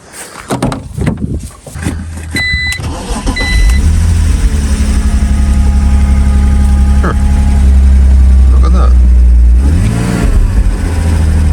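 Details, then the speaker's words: BMW Z4 (E85/E86) after the stuck idle control valve was removed and cleaned, which fixed the up-and-down idle without a new throttle body. A couple of short bursts, then a deep, steady, even idle with no hunting or surging. "idle control valve. You are having a giraffe. All I had to do was clean that up. I didn't have to buy a throttle body."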